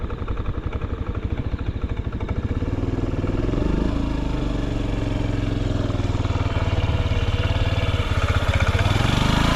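Small single-cylinder scooter engine ticking over evenly, a steady low putter that picks up slightly; no knocks or rattles, healthy.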